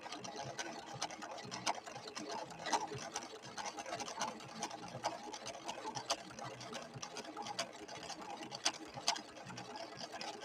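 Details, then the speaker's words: Late-1970s Husqvarna Viking 6460 Colormatic sewing machine stitching a decorative pattern with Cam B after cam stack repairs: light, quick needle ticking with varying rhythm, no grinding or clatter; running normally. "Oh, brilliant. And this machine did need some repairs when it came in. It had some issues with the cam stack."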